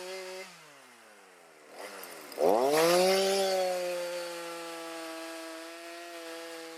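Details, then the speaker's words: Stihl MS310 chainsaw on a cold start after a no-start fix needing no parts and rakers lowered: fires on the pull, revs up sharply, settles to a clean steady idle without stumbling; normal running. "Not bad, little 310 on a cold start. No parts you need to repair. Back in business."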